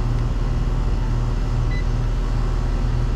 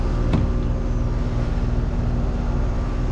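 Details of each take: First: R22 package unit that runs constantly, compressor restarting after cooling off from a thermal overload trip: deep steady hum comes up and holds with no clatter; startup 75 A, pressures running high, capacitor tested at 5.11 µF. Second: R22 package heat pump unit with a complaint of running constantly; suspected overcharged, possibly with something other than R22, and under a pound recovered; dirty filter noted: steady, even compressor hum with no knocking or rattle; normal operation.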